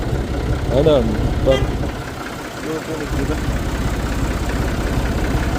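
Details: Massey Ferguson 135 diesel tractor, injection pump previously rebuilt after loss of pulling power when hot. Steady, even diesel clatter at settled idle around four beats a second, no misses or knocks: normal idle.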